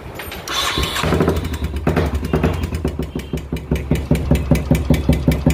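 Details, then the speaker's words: Royal Enfield Classic single-cylinder starts and settles into a loud, regular top-end tapping knock that changes the silencer note. Noise from failed hydraulic tappets, began some time after a service; the engine is very dirty inside. "ये ton ton ton आवाज़ लगी, आवाज़ असल अंदर इतना गंदा लगा हुआ है इसमें।"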